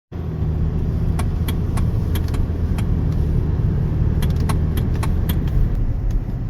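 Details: 2013 Hyundai Sonata driving: sharp, irregular clicks and rattles over heavy road rumble on bumps and sudden steering, from a worn plastic steering coupler. Replacing the coupler fixed it.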